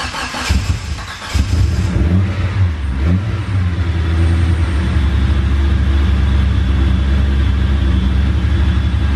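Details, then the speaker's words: 500hp Eagle Talon cold start after sitting almost a month, briefly pre-cranked: brief crank, then it catches and settles into a steady, even idle with no stumble or misfire; clean cold start. "I cranked it over just a teeny little bit before this and sounds good this car typically does pretty good on cold certs I think we hit like negative 2 so let's see what happens"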